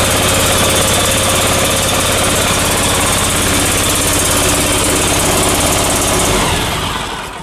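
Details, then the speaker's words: Briggs & Stratton Vanguard 37 hp EFI V-twin before repair, running badly with no power: a loud, lumpy beat with missed pulses, as if dead on one side. "you can see that that's not running right it kind of sounds like it's got a dead mess on one side"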